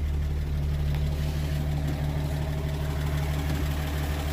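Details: 1937 Pontiac Silver Streak barn find, long sitting, just revived after the ignition points were filed: deep, even idle with a steady low beat and no knocks, misses or hunting. Oil pressure good. Normal idle.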